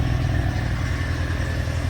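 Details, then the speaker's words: 1991 Mitsubishi 3000GT VR4, 77k miles, cold start on a rainy day, steady low idle with a thin constant high squeak; owner suspects the belt, worst case a pulley. "squeak is kind of annoying you'll have to get that belt swapped out I'm sure that's all it is like I said our worst case it's one of the one of the pulleys there"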